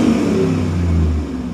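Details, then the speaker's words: 2002 truck that lost half power with one-bank misfires and high opposite-bank fuel trims, front O2 sensors suspected: quick throttle blip, steady even note rising and settling smoothly, no stumble or miss; running perfectly. "everything looks like it's running perfect"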